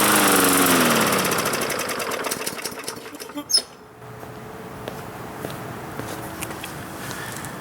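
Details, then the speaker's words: Free Bolens (MTD) 21-inch push mower that needs many primer pushes and smelled of varnishy old gas: small single-cylinder fires and runs briefly, then fades and dies within seconds; has spark and fuel, dirty carburetor suspected. "okay so that's good news we have spark we have fuel we have air and she's cutting out a little bit but the fact that it runs is always a great starting point"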